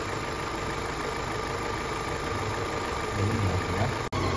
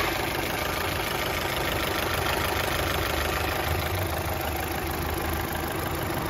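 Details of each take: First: Rebuilt Opel Astra H 1.6 petrol engine at steady idle with a faint thin whistle from the PCV valve in the valve cover; the rocker cover is faulty and needs replacing. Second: Opel Astra H sedan 1.6 XER engine after a full rebuild for a broken piston and bent connecting rod: smooth, even idle with a steady hum and no knocks, ticks or misses.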